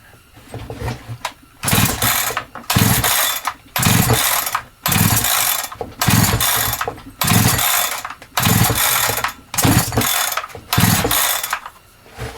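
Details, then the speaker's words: Holzfforma G372XP chainsaw that never ran right since new, pulled with decompression lever and choke: rasping pull-start strokes never catch, too weak to push the decompression valve out; no start. "not happy it's not happy happy not even enough to push our compression valve out"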